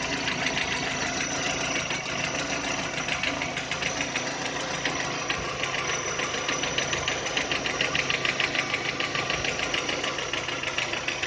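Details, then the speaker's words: VW Touran 2010, 1.6 BSE engine rebuilt about 15,000 ago (oversize pistons, valves, hydraulic lifters), cold start after two days: crisp regular ticking about three per second in time with the engine as idle drops below 1000 rpm, fading as it warms, seemingly left side; cause unknown. "Греется. Обороты падают, и начинается стук."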